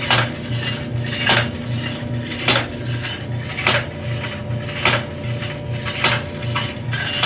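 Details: Electrolux front-load dryer EIMED60LT3, heats: a harsh scrape and clatter recurs about every 1.2 seconds with each drum turn; a loose panel is rubbing against the drum.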